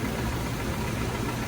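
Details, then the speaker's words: 1996 Toyota RAV4 petrol engine idling after injector checks: steady, even low rumble with no knocks or misses; runs pretty good and smooth, sounds healthy. "It runs pretty good though. That's pretty smooth."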